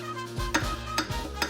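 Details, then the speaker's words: 1965 VW Beetle 1200cc 40hp air-cooled engine, torn down to short block: cylinder four connecting rod rocked by hand gives sharp metallic clacks, unlike tight cylinders 1–3; worn rod bearing with excess play. "nice good knock right there here's a better look at cylinder number four connector grod"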